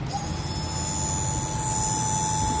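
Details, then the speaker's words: High-pressure fuel pump from a 2016 Volvo Penta 300 hp, bench-run with fluid: steady high electric whine and thin squeal over a low motor hum, louder than expected; the noise is intermittent and it screeched on the engine; failure suspected, replacement recommended. "we were having fuel pump noise with the boat this the high pressure pump somebody going to come over here and work this and it was screaming like hell with fluid in it"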